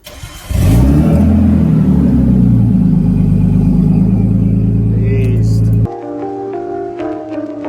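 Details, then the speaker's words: Nissan R32 Skyline run with the cat-back exhaust removed, before fitting a new ISR cat-back. Loud, deep, raw drone swells as it revs. Loud exhaust with the cat-back off. "Show you guys what the car sounds like without the exhaust."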